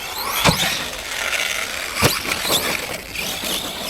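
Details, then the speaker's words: Arrma Granite 3S BLX RC truck with aftermarket metal center diff, stock plastic front and rear diffs, driving at 1°C; short bursts of sharp squeaks with light rattle, normal metal differential squeak and rattle. "It's dead noisy, you can hear it squeaking away, rattling away because it's metal. So it's a bit noisier."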